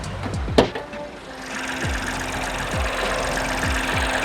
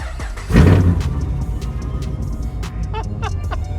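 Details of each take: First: Ford Fiesta Sport at an auction inspection, idling rough under the hood; uneven idle with loose, irregular clicks and rattles; an engine mount doing nothing lets that whole side of the engine shake; coil pack screws loose. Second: Holden VE Commodore SS V8 at auction, sounding cammed with an aftermarket exhaust; cranks and catches with a deep burst, then settles into a loud, lumpy low rumble, louder than the other SS; sounds healthy.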